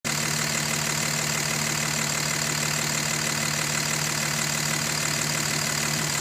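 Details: 2005 Dodge Cummins 5.9 diesel idling steadily, with a faint regular tick or knock about three a second. It is loudest cold and fades somewhat when fully warm. The cause is unknown.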